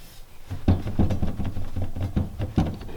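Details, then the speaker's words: Stock T56 driveshaft on a track-prepped race car that hooked hard at launch and dropped from first gear to neutral. Dull wooden clunks about three a second as the shaft is wiggled by hand underneath, showing excess driveline play; owner suspects this as the failure. "i don't know if you guys can see or hear that but i'm pretty sure that's not good so that's why i believe is the problem"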